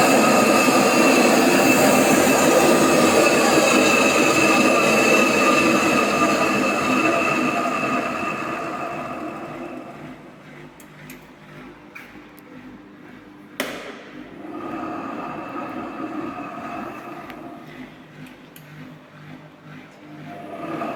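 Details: AEG Öko Lavamat 4100 washer during spin, going from 800 to 900 to 1000 rpm: loud jet-engine roaring whine that slowly dies away, from bad drum bearings.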